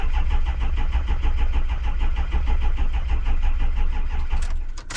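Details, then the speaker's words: Diesel vehicle started in very cold weather from a Loki Thor J3250 jump pack, glow plugs dropping voltage to 10.4 V: slow, labored cranking with heavy even pulses for about four seconds before barely catching; hard cold start. "okay that was close really really cold that actually did have some juice"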